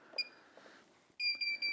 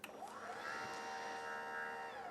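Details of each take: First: Smart Garage roll-up door opener motor (GDO-06) during remote coding, door code button held: sharp high beeps, one short then faster steady beeping, stopping once the remote is coded. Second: RollUpDoor by Smart Garage GDO-06 opener with red rope manual release disengaged, operate pressed: steady motor whine under three seconds with no load change, then a short beep; door doesn't move until re-engaged.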